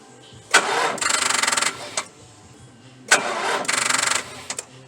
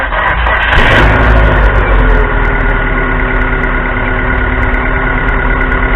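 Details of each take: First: 4.6 L V8 with a dead battery, Stanley Fatmax 700 peak/350 A jump pack, third attempt after resting 10 minutes: two short bursts of slow, labored cranking that never catch; jump pack too weak to start the V8. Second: 2.0 L 4-cylinder Neon with a dead battery, jump-started by a recharged Stanley Fatmax 700 peak/350 A pack after waiting about 10 minutes: engine catches after a short burst and settles to a steady, even, smooth idle with no misses.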